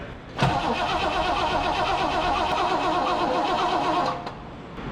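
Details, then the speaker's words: 1963 Pontiac Grand Prix abandoned in a barn since 1989, start attempt: the starter grinds the engine over in a labored, uneven, wheezing rhythm without firing despite good spark. Owners suspect a plugged exhaust, possibly a mouse nest in the pipes; not confirmed. "Okay, we got all kinds of spark. It sounds like the exhaust is plugged up. You suppose there's a mouse nest in them pipes."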